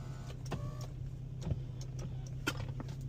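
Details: 2007 Infiniti G35 after sunroof repair: a steady low motor whir runs evenly with a few light clicks and no grinding or strain; the window motor works normally.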